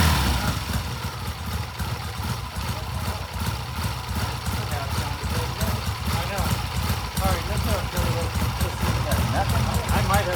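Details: 1967 Triumph twin motorcycle (green and white) during ignition timing work with throttle revs: stumbling, irregular firing and surging that never settles; running rough, unlike the other day, cause suspected not confirmed.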